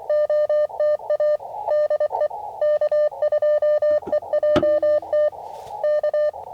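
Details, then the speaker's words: Ham radio CW operation with 9:1 random wire antenna: choppy warbling musical tones around 600 Hz switching on and off across the band, also heard on another radio, so external interference; musical interference noise. "There's that weird noise. I don't know if you can hear it. Musical duty. I don't know what it is."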